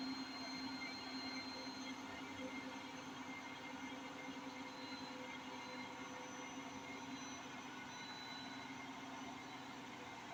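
A steady, loud roaring rumble with a whine on top as the drum holds top spin speed, suggesting worn drum bearings. Cause suspected, not confirmed.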